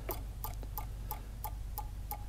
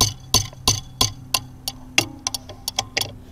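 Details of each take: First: Bobcat/Doosan common rail Denso injector on bench test: crisp regular solenoid clicks about three a second with no spray hiss, nozzle not leaking but stuck closed; injector bad, needs replacing. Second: Bobcat/Doosan Delphi common-rail injector on a test kit at 2000 psi: crisp, even solenoid ticks about three a second over a quiet hum, with tiny matching pulses in the back-leak line; the injector is firing properly.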